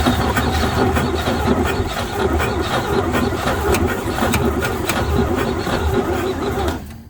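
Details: 1949 Chevy truck, first cold start attempt after sitting 24 years, gas can hooked up and jump box connected, points may need filing: steady rhythmic cranking at roughly 80 churns a minute that never catches; long crank with no start.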